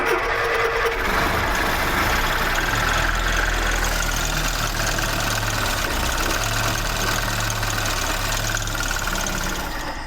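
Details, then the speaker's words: Fire-damaged 1969 Ford Escort MK1 van crossflow engine, started on a jump pack with a little throttle, oil filter seal leaking: catches and holds a fairly steady low beat of about four pulses a second; it runs. "So, it's running."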